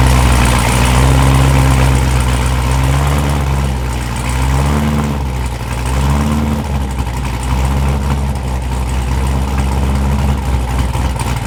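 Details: Cold start of a newly built LT1 Corvette C7 engine with Stage 1 Brian Tooley cam, before tuning: deep choppy cam lope, steady and even, trimmer buzzing faintly behind; healthy.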